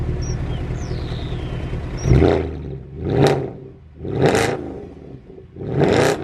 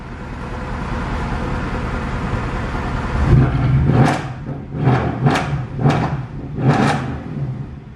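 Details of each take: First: Salvage-auction Mercedes C63 AMG rolling slowly up the drive: revs surging and dropping about once a second, engine hunting while nav screen flickers and airbag and ABS lights come on; cause unknown. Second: Salvage-auction Mercedes C63 AMG V8, supposedly flood-damaged, five minutes after start: barely audible tick-over then five clean throttle blips; idles and revs normally, though owner suspects electrical issues such as the voltage regulator.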